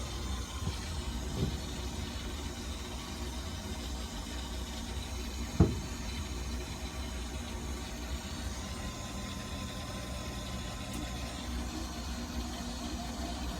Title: My Goodman GMPN080-4 Furnace Blower Motor Fan Making A Rumbling Sound